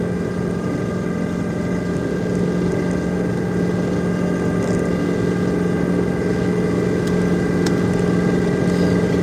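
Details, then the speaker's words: Snow-plow truck pushing a heavy snow load, steady hydraulic pump whine over a heavy engine drone; the pump is whining under strain. "I don't know if you can hear that pump's whining, but this old girl getting a workout today."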